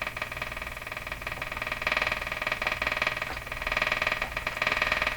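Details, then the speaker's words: Emerson 34C tombstone tube radio, built around 1935, powered up on raised voltage: a raspy buzz pulses about four times a second and drowns out any program; electrical interference of unknown source. "okay um only we can't hear it over this interference so if that's broadcast this is probably short we but I don't really know"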